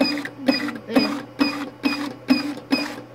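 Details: BK-400H business card cutter: crisp, evenly spaced clack about twice a second, each feed-and-cut stroke clean with no grinding or slipping; normal operation.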